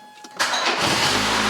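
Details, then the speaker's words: Rover 220 Coupe T-Series engine, first start after head gasket and timing belt change, car on a jack: brief starter whirr, then clean catch into smooth, even idle with no knocks or misses; normal start, no leaks so far. "it's alive it's alive it's alive"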